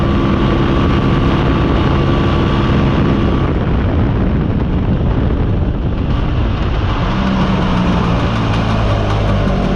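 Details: Mostly original Spanish Lambretta Jet 200 (Serveta) two-stroke on test ride after carb slide cutaway changed from 1.2 to 2.2; even drone rising and falling smoothly with throttle, no hesitation or misfire; mid-range flat spot cleared.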